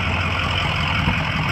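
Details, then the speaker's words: 2004 Ford E-450 box truck, 6.0 L diesel, 121,000 miles, warm after running about an hour without overheating: even deep diesel clatter at steady idle with no misses or knocks; engine sounds good. "this is a 2004 Ford e450 cargo box truck has a 6.0 liter diesel engine sounds good it's been running for about an hour"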